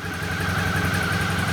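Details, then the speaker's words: 2012 Suzuki DL650A V-twin at 6,669 km, just revived after an ignition start problem, rear wiring redone and fuel pump changed; steady even low putter, no misses, knocks or rattles; slight oily smell underneath; normal idle. "so there we go we have a running 2012 suzuki dl650"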